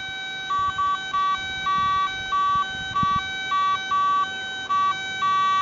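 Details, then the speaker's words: Garrett ATX pulse-induction metal detector in motion mode, coil swept over an old square horseshoe nail: steady high hum broken by about ten short higher beeps in five seconds; normal target response. "okay that's a Target response in motion mode"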